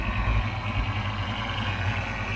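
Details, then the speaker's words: Fox body Mustang V8 idling, cammed: steady high thin whine over a lumpy idle, holding even pitch; power steering pump whining, apparently needs power steering fluid. "I can hear it now a power steering pump is whining it needs some power steering fluid in it"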